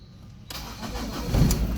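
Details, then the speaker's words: Ford Ranger after top overhaul, which had refused to start: near silence, then it fires almost instantly on one crank into a steady even idle once a leaf was removed; clean start. "Kaya pala umandar kanina dahil may dahon lang pala"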